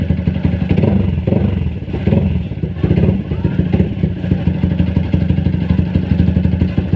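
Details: Single-cylinder motorcycle at fast idle after service with Uma Racing HP3000 fully synthetic 4T oil; hard clattery knock ticks through each beat over low exhaust thump, engine knocking still present.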